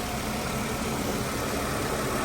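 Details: 2003 Mercedes-Benz E320 after misfire repair with no stored code, restarted after reconnecting battery and airbox: even, steady idle with a smooth, unbroken hum and no stumbles or misses; running cleanly.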